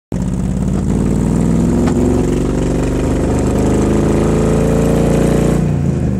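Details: Cobra engine at idle: loud, lumpy, tractor-like beat stumbling unevenly at roughly three pulses a second. Engine misfire, cause unknown.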